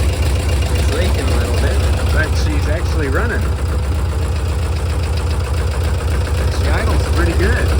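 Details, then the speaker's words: 1968 VW double cab transporter that sat 5 years, running on a jerry can fuel feed: loud, uneven knocking at about three to four raps a second over a rough low idle. It runs fairly well, but the knock is intermittent and its cause is unknown. "That noise seems kind of intermittent. So, I'm really not sure what the problem is here."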